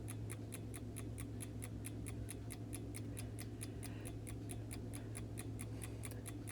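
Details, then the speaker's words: Vintage Coca-Cola clock after cleaning and lubrication, rewinding on its own about every eight minutes; soft steady low hum under quick even ticking about four a second, no grinding or labouring; rewind motor runs quietly and normally. "about every eight minutes it rewinds perfect that's what I want to see right there and that motor runs really quiet so that's very good"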